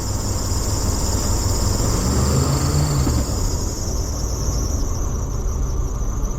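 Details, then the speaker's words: Vintage RV engine on a cold winter start: steady high-pitched alternator belt squeal over a rough idle, which usually stops once warm; a chronic issue, and the owner may swap in a higher-amp alternator. "usually once it warms up she'll the alternator all stops squeaking for the belt or whatever"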